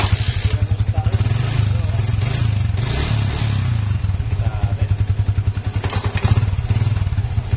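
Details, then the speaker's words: Yamaha Vixion after repair of a rubbing "tek tek tek" noise at the rear drum hub, bushing refitted: even, steady engine thump with no rubbing, clicking or grinding from the rear wheel; noise gone, rear bearing/hub healthy. "Nah itu sudah tidak ada suara lagi ya Tadi ada suara sedikit tek tek tek kita coba lagi hidupkan"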